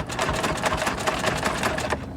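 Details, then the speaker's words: C6 Corvette Z06 at salvage auction: starter chugs fast and even, about seven beats a second, but it never fires; cranks, no start, possibly sucked up water as a suspected flood car. "damn how much did we bet again oh man well that sucks and it sounds like it's trying to crank too this thing may have sucked up water"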